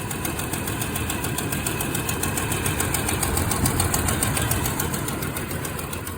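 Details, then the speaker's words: 1991 Toyota Land Cruiser 3FE idling after a new fuel pressure regulator and fuel damper were fitted: uneven, lumpy pulse about three times a second; still a rough idle with no power, cause not found. "Yeah, so it still runs like crap after changing the fuel regulator and dampener."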